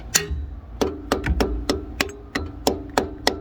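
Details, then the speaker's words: 1969 Lincoln Continental Ford 460 V8, sitting 12 years: hammer tap test on intake valves 7 and 8 gives dead, short knocks with no ring, about three per second; valves seized solid, with 5 of 8 intake pushrods found bent. "Just like that. Totally solid. Good. Bad. So intake on 7 and 8 are still totally stuck."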